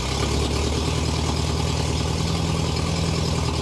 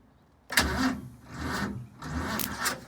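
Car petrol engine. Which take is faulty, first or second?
second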